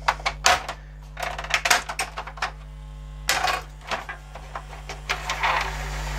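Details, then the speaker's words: 1998 Kenwood stereo found at the roadside, first power-on after repair: irregular clattering and grinding bursts from the CD changer mechanism over a steady mains hum; the changer belt is likely busted or slack. "turn on sounds like the CD changer belts busted"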